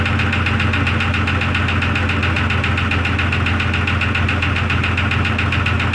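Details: 2002 Jeep Grand Cherokee Laredo in cold weather while checking the oil, restarted: steady idle with a light regular tick in time with engine speed; knock source unconfirmed, owner considering teardown and rebuild.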